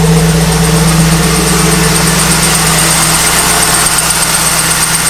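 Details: 1998 Pontiac Trans Am at idle after startup with a high, bird-like chirp about four times a second, lasting about 10 minutes and audible throughout the garage. Cause was a dry-rotted A/C belt; pulleys can also cause it.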